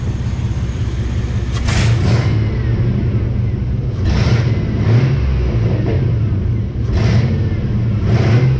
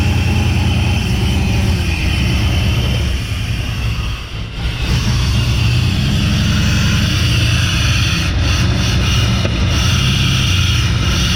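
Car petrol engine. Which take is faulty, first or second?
second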